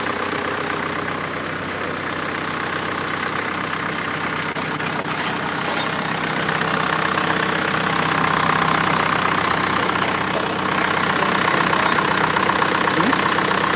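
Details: Freshly rebuilt Isuzu Panther diesel (rebuilt for white smoke, valves fitted, not yet run in): settles into a steady, even idle with smooth clatter, no knocks or misses, rising slightly midway; normal.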